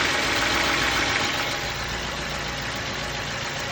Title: Bmw n43 engine knocking help